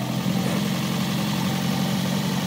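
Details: 2009 Toyota Prius after catalytic converter replacement with a new 49-state legal unit, temporarily fitted pending welding: steady low rumble at an even idle with no ticking, rattling or exhaust leak hiss; engine idles smoothly and evenly.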